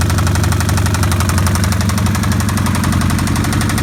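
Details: 2005 Kawasaki Vulcan 1500 V-twin restarted after riding without oil, then overfilled: loud, heavy knocking about three per second from lower engine case over lumpy idle; likely bottom-end damage from oil starvation.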